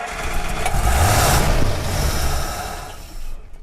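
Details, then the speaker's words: 1948 Buick Roadmaster Model 79, 320 cu in inline-eight: catches briefly, runs rough and dies within seconds; fuel starvation, pickup sits above the fuel level in the tank. "yeah we're going to have to get some more fuel i'm just noticing the fuel the bowl here can't you can't pick it up it's just it's not filled pickup's right above the fuel level"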